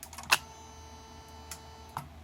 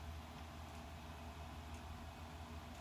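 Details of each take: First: Bench test of a repaired Mercedes E320 throttle actuator and throttle control module: sharp single relay clicks over a faint steady electrical hum as power to the computer is switched and the throttle actuates; normal operation. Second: Bench test of a repaired Mercedes E320 throttle actuator and control module with the throttle body unplugged to mimic a fault: quiet hum, then faint sharp clicks as the throttle relay drops out and shuts down.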